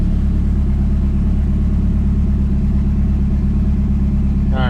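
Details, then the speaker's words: Turbo PT Cruiser bought for parts, cold start: deep, even idle with steady low throb, no ticking, knocking or smoke; normal cold start idle, leak-down test still planned. "Now, that was a cold start. So, not quite sure where the exhaust pipe comes out, but we got no smoke. So, the way this thing sounds sounds like it should run pretty good."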